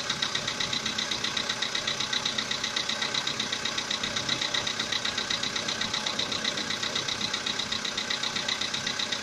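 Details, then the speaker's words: VW Polo Sedan, CFNA petrol engine, about 80,000 km, knock began about 3,000 km ago: steady, sharp knock at idle, about two and a half beats a second, audible even inside the cabin. "Полоседан, двигатель CFNA. Застучал где-то, наверное, 3 тысячи назад. Застучал мотор. Ну, даже в салоне слышно."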